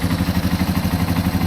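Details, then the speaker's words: 2005 Yamaha TW200 single after valve adjustment and exhaust repair, owner had noticed a changed exhaust tone: even, steady thump around ten beats a second, no ticks or misses; a clean, healthy idle. "Alright guys, I'll do another little walk around when I get the tire on there, but she's all back together in perfect health and ready for a trip."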